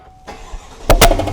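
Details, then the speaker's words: GMC 1500 gas engine, after a loud crack at 80 mph on the highway and a dealer's call for a new engine, being started: a brief crank, then two sharp, loud bangs a tenth of a second apart, apparently backfiring through the intake. "Whoa. I know, dude. It sounds like it's going to hit you in the face. That [snorts] sounds like it's coming from the intake."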